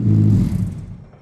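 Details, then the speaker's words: Miata-based kart with an open, unmuffled exhaust: a deep, booming blat fades out over about a second. It sounds better than before but is still far too loud and raw, so a muffler is planned to quiet it. "I fired it up it sounds better but it's still loud so I'm gonna try and put a muffler on it quiet it down a little bit more"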